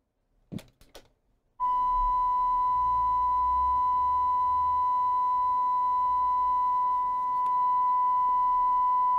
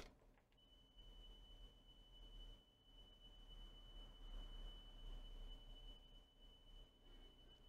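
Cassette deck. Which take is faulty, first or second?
second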